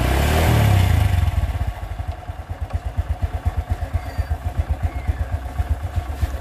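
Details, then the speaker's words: Single-cylinder motorcycle that lost compression from water-contaminated oil, after repair; drops from a rev to a slow, uneven idle near 160 beats a minute, sounding close to stalling, idle too low and needs raising. "seperti kerendahan ya minta ditinggikan sedikit untuk daerah gasnya"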